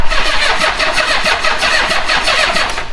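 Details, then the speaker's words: Old Honda Goldwing after the plugs were cleaned and the timing belt was checked: rapid cranking pulses with short ragged catches that never settle into a run, apparently firing only on leftover starting fluid (owner's suspicion). "It's probably just the starting fluid that was in there."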